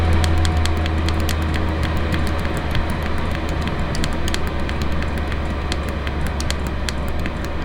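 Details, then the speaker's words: Chinese diesel heater in garage, fitted with intake silencer, turned down to 1.8 Hz pump rate: low steady fan hum with faint regular dripping-like pump ticks, even and unobtrusive; running smoothly at low setting. "that's down to 1.8 HZ which is what I've got it on most of the time once my garage is warmed up"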